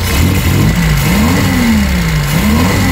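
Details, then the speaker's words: Reliant Supervan revved after slight carburettor adjustment. Revs rise and fall with a slight stutter on the way up from fuel starvation. The owner suspects a crushed fuel pump pipe is restricting fuel flow. "a little bit of a sort of a slight little sort of stutter as you rev it up."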